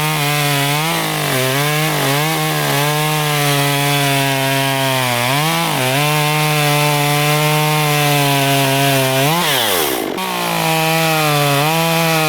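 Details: Stihl MS194T chainsaw, customer complaint of bogging, running good distilled premium fuel and fitted with a new chain: crisp revving that dips as the chain bites wood and recovers quickly, then a clean rev-up; normal strong running under cutting load.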